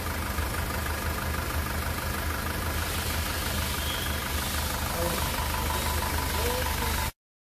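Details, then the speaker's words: 2018 SsangYong Rexton Sports diesel, 119,174 km, idling after rebuild (crank, pistons, bearings replaced after broken crankshaft cap bolt holed block): even steady clatter, no knocks, stumbles or vibration; smooth healthy engine. "엔진 떨림도 없고요 소리도 잔잔 합니다"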